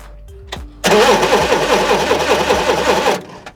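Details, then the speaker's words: Dad's forklift cranking steadily for two seconds but never firing during ignition system diagnosis; spark tester shows no spark at the plug even when grounded directly to the block; crank no start, no spark. "no spark there either that's a bit weird Okay so we're not getting any spark there which is not good"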